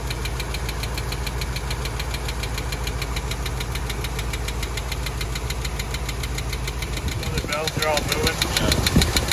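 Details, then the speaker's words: Chevy K30 one-ton Forest Service truck, V8 idling: sharp regular tick about three times a second over idle; valve train tick, unresolved, owners suspect a wiped cam lobe or collapsed lifter. "not real sure what the problem is could be a wipe cam lobe could be a collapsed lifter so we're just going to kind of leave this as is"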